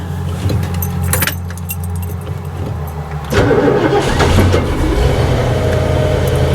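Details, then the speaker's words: 1975 TEC Lark motorhome, Ford E350 chassis, 460 CID V8, C6 transmission, troubled by fuel boiling when hot, last run a week or two ago: turns over and catches at once, settles into steady even idle; normal easy cold start. "Starts nice and easy. I ran it a week or two ago. That's a good idle speed. Sounds good."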